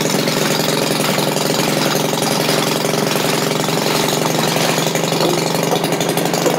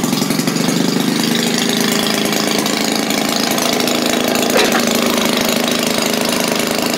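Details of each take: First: Maytag washing machine single-cylinder engine after carburetor adjustment, popping at a quick, steady, even beat with no misses, barely noticing the load engaged; normal running. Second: Maytag washing machine single-cylinder engine restarted after shutdown, running slow, about four uneven pops a second; owner thinks carburetor needs adjusting.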